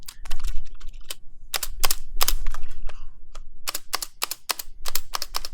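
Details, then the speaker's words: Vortex Pok3r 60% keyboard with aluminium case, shaken: sharp, uneven plasticky clacks as poor stabilizers rattle under the long keys, especially backspace. "The Vortex Poker has one of my biggest pet peeves because it has poor stabilizers. So if I shake it right here, you can kind of hear it already."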